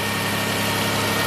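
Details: 2000 Toyota Sienna, 1MZ engine, 540,446 miles, burns a quart of oil per 500 miles, after repairing cylinder 5 misfire; short steady idle with even hum, no stumbles or skips, zero misfire counts: normal idle.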